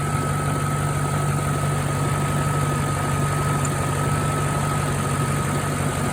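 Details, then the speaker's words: Mercedes E420 at cold start after a valve-noise treatment: smooth, even low idle with a steady thin whine from the loud secondary air pump; cold valve noise now almost unnoticeable, a dramatic improvement. "oh much easier to hear now a secondary air pump is so loud when it's on"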